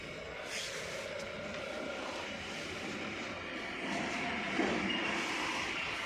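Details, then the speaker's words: AC indoor unit with PCB removed, run again: steady rushing airflow with thin rough constant whirr; noise persists, pointing to the blower motor. "अभी भी व आवाज आ रही है तो हम इसकी मोटर को खोल देंगे इसके ब्लोर को अलग कर लेंगे"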